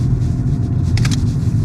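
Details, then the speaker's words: Ford Focus on the road at 30 mph: a heavy low whirring hum from a strong wheel bearing noise, which the driver first thought could be the gearbox; the gearbox was shifted into neutral to check. "yeah, it's got quite a strong wheel bearing noise. Hopefully you can hear that whirring away. That's at 30 miles an hour."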